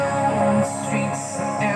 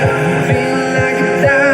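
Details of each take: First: Dolphin Sound DS5A speaker, still under warranty, before repair: music rough and hoarse (serak, not sember), notes fuzzy and gritty; cause a leaking capacitor, NE5532 op-amp ICs also suspected. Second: Dolphin Sound DS5A speaker after repair of hoarse-sounding (serak) fault caused by faulty capacitor: music plays clean and full, bass punchy and even, no hoarse fuzz on vocals; output back to normal.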